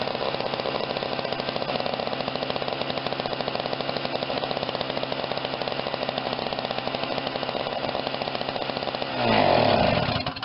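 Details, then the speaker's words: Snapper 17-inch snow thrower with Tecumseh small engine, running after repairs, primed and started: fast, even buzzing beat at steady speed with no misses or surging, then a brief rev; normal running. "I think it works real good."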